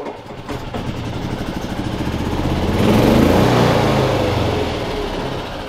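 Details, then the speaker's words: Yamaha G29 golf cart single-cylinder engine after replacing a faulty stop switch/relay part and charging the battery: the electric fuel pump is heard at key-on, then the engine catches and revs smoothly without misses; it now starts every time. "it starts good now turn the key on you can hear that electric fuel pump going but now it starts every time now got that new part in there"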